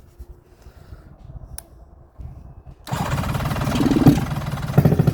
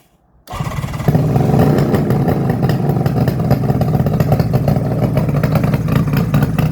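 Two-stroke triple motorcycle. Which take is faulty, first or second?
second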